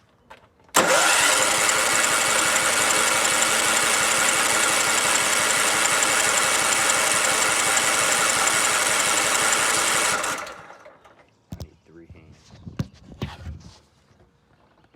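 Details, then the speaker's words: John Deere LT133 lawn tractor cranked without choke: steady starter cranking, about three compression pulses a second for nine seconds, never fires. Owner then finds the fuel tank empty and blames that, unconfirmed; crank no-start. "Well, I guess the fuel tank's empty. That would explain why it doesn't run."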